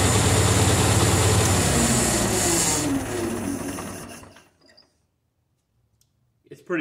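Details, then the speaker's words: 1950 Towmotor LT40 forklift, Continental flathead four, idling after carburetor needle-and-seat cleaning: low, soft, uneven chuffing, weak and wheezy, likely low compression and somewhat worn; muffler quieter than before but possibly loose. "compression so it's kind of wheezy and it's probably worn out a little bit too"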